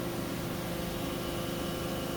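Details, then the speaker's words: Generic SC600 PC water-cooling pump after five years of service, on sound-dampening foam: faint steady low hum with soft thin tone, quiet normal operation. "But yeah, so as you can hear or not hear, you can't really hear this pump. It's quiet."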